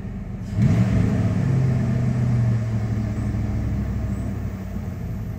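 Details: 1996 Dodge Ram 5.2 V8 just after a throttle body cleaning and new IAC valve: it fires up, flares, then settles into an even, slightly raised idle with a steady low rumble, a little higher than before. Previously RPMs dipped very low on throttle let-off. Normal idle.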